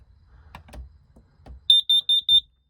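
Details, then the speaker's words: Pop-up A-frame trailer RV carbon monoxide detector, test button held after propane regulator replacement; four sharp high-pitched beeps in quick succession; alarm working properly. "she goes. It's working. Safety alert."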